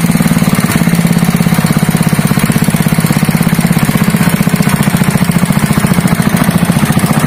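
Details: Honda GX160 5.5 hp single-cylinder engine, previously pulling as if it had no compression, runs after a valve clearance adjustment (IN 0.15 mm, EX 0.20 mm): a quick, steady thump with no tapping or misses, running normally again.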